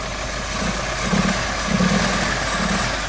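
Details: Renault 18 2.0 carbureted engine during carburetor and distributor tests, running half-flooded before the distributor was advanced and the hoses reconnected: lumpy and uneven, beats stumbling about ninety a minute with a muffled, soggy note; rough running.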